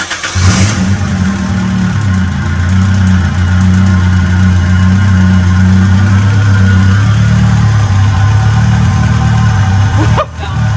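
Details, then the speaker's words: Acura Integra GSR B18C1 first start after a Supertech head gasket, ARP head studs, cams and the timing belt: it catches, holds a firm, even idle and blips twice smoothly without misfires. More compression. "she sounds so much better no engine no exhausting computer"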